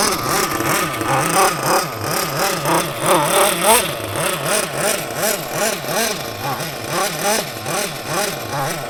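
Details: Mugen MBX6T nitro truggy, small nitro engine running rough: high buzz with pitch surging and sagging a few times a second, never settling; sounds unhappy, cause not confirmed.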